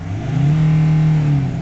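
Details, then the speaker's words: Nissan Navara D40 2.5 dCi diesel, after hard starting, stalling and power loss from suspected tank fuel contamination, now with fresh fuel and the engine light cleared, holds full revs with a strong, steady roar and no stumble: normal full revs. "Let's see if we can start it up and get full revs at a minute. Oh, engine light's gone."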